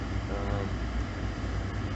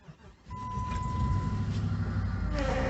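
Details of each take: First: Jeep Liberty at -10°F after a cold start, warmed up at idle: low, even rumble with no skips or stumbles. The earlier misfire has stopped; owner suspects plugs or an ignition coil, a coil code once logged. Normal idle. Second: 2006 Jeep Commander 5.7L Hemi cold start at -10°F: starter cranks, engine catches, then a steady mid-pitched power steering pump whine over the cold idle; only a little noise, less than expected.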